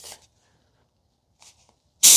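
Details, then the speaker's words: 2001 Jaguar XK8 brake fluid change: while pressure-testing the brake bleeder system fed from the tyre through the black hose, loosening the bleeder cap lets pressure escape in a sudden sharp hiss lasting about half a second; the system must be tight. "Oops, you hear that? That's because the pressure from the tire is coming through the black hose and escaping. So this needs to be tight."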